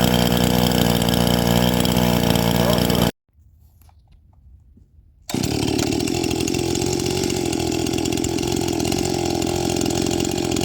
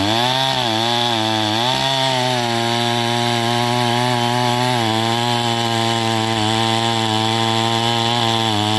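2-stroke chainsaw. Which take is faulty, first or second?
second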